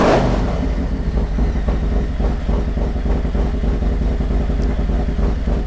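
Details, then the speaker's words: 2022 Harley Road Glide Special first start after Screaming Eagle cam, upgraded oil pump, intake, injectors and custom tune, oil pressure confirmed: deep loping uneven V-twin rumble, louder, longer and sharper rasp than before; idling healthy. "so that's kind of interesting yeah actually sounds good nice I like it he do you hear a different Rumble to it oh yeah yeah and it's is it a longer it's uh it's definitely a more raspy and a sharper wrap"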